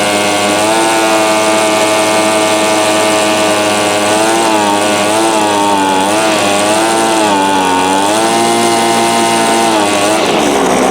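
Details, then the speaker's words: 22-year-old Cub Cadet ST23 26cc two-stroke trimmer, first start from barn find, choked: high buzzing whose pitch hunts up and down, sluggish and unsteady; suspected dirty carb needing rebuild and leaking fuel tank grommets. "Is carb seems to be working. Probably needs cleaned. Could have debris in it, but the rubber grommet right here is toast."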